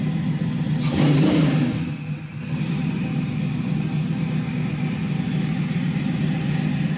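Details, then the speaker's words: 5.3L LS V8 after NSRx Stage 3 no-springs-required cam, new lifters and 600-lift valve springs, good oil pressure: deep, uneven loping idle with a brief rev settling back to a choppy rumble; normal lumpy idle with performance cam. "Like I said, this is the NSRx Stage 3. No springs required cam, and the 600 lift valve springs that we put in this thing."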